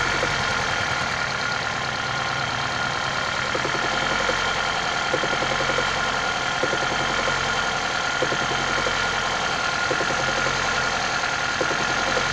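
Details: 1996 Toyota Caldina ET196 with 5E-FE engine, new crankshaft and bearings from an overhaul a year ago: steady idle with a light, fairly quick tapping knock about three or four a second; source unknown.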